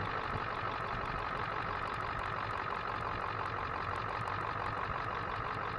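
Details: 2000 Ford F250 7.3 Powerstroke diesel at idle after replacing the failed turbo and fixing the intake heater: an even idle with a light regular clatter and a steady hiss, no surging. It sounds healthy.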